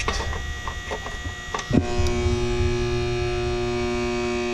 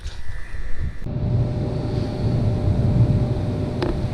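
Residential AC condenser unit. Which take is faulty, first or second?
first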